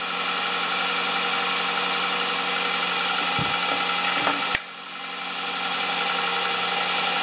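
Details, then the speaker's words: Vehicle started after three months stored in garage: steady even idle with constant hum and slight alternator whine, one brief clunk, no knocks or misses; charging about 13–14 volts; normal idle. "you can hear the alternator kind of whine it but it's charging at 13 or something 14 free it just doesn't get any better than that"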